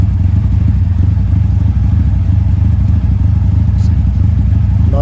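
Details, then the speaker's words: 1971 Toyota Celica TA22 2TG after fitting a new stainless exhaust without the old tip: a deep, even idle burble with a smooth steady beat and no whistle or rattle; healthy, carbs not yet synchronized. "better also this got rid of that whistling sound it had due to having that exhaust tip before that sounded like some sort of a whistle now just browse like it's supposed to"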